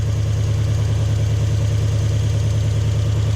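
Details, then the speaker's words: Toyota Hilux with 1UZ-FE V8, lacking power and idling poorly: deep lumpy idle pulsing about three times a second, flat sound; spark tester shows no spark on one bank, running on 4 cylinders – misfire. "So this thing's only running on 4 cylinders."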